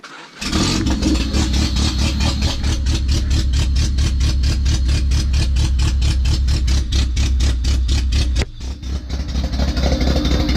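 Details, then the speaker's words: First start after DPFI-to-MPFI fuel injection conversion: catches at once, no hesitation or check engine light, settles into an even, loud exhaust pulse from the open exhaust; otherwise healthy idle. "That actually sounds good, other than the open exhaust."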